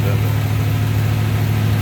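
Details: 1941 Plymouth 5-window coupe street rod, cold start on high idle while warming up, hood open: steady even low rumble, no misses, knocks or wobble; engine running smooth and healthy.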